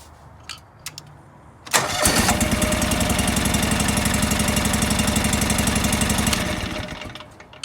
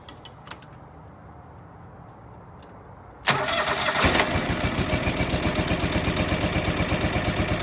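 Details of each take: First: John Deere 445 during misfire diagnosis, running on one cylinder with the other plug pulled: steady, even beat about four per second with no misses; that cylinder fires every time. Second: John Deere 445 twin running on one cylinder with the other plug lead pulled: slow lumpy chug at lower rpm, plainly weak, unlike the strong-running other cylinder. This cylinder's bad spark plug is the problem.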